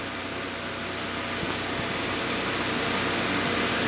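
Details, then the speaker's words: Chung Yuan Electric 9" table fan TF-810S after cleaning and servicing, final test on setting 1 with the guard on: steady even whoosh, faint motor hum, no ticking, rubbing or wobble; slightly less airflow with the guard, runs smoothly. "We definitely lost a little bit of air with the guard on, but it's still moving pretty good"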